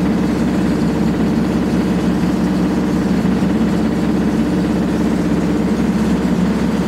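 Continuous heavy rumble and roar held steady at full spin with no let-up, the sound of badly worn drum bearings.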